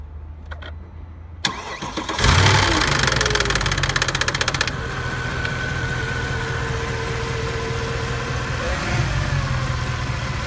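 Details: 2008 Mercedes C63 AMG, M156 V8, 165,000 km, cold start: engine fires, then a fast metallic clatter over idle for a couple of seconds before fading, as worn lock-pin holes let the camshaft adjusters slap until oil pressure builds.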